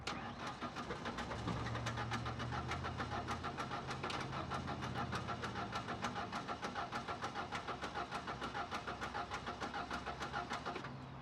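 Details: Ford Ranger sat about 14–15 years, key cycled to prime a fuel pump idle over 10 years: steady cranking at about three turns a second with even compression pulses, not catching yet; it later starts and surges with no mass air flow sensor.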